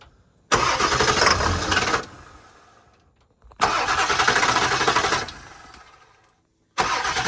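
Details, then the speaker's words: 1991 Ford F-350 after a 7.3 Powerstroke diesel swap, after pre-filling the fuel filter: repeated cranking bursts of about four beats a second without firing; crank no start, suspected not getting fuel; it later ran. "I don't think he's getting fuel can I just crank it"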